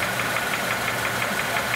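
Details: 2006 Honda Element 2.4L, internal engine noise three other shops couldn't diagnose, oil pan gasket recently changed: regular light knock five or six times a second at idle, loudest in the block per electronic stethoscope; engine knock, cause not pinned down.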